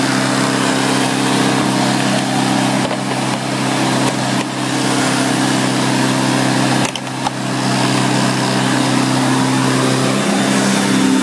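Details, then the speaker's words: 1990 Electrolux 616 Electronic Z616AE vacuum: steady, even motor hum with constant pitch, no surging or grinding; motor runs well, though brush roll bearings are growly and a loose soil-plate screw may hiss. "so as you can hear it runs really good"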